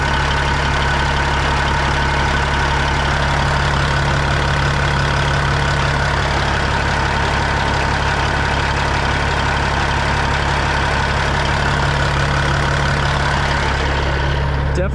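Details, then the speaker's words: Freightliner FLD120 with a Cat 3406E diesel: a steady heavy idle carries a regular knock about two or three times a second, louder on one side toward the front of the engine; the owner plans to remove the valve cover. "feels like the front of the engine coming back to this side what do you guys think that is can you hear what I'm hearing am I crazy I know I'm not crazy yeah it's definitely louder on this side in the front louder on this side"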